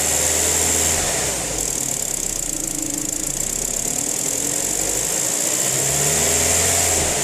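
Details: BMW N45 engine at idle: quick, regular knock of roughly four beats a second; cause not pinned down.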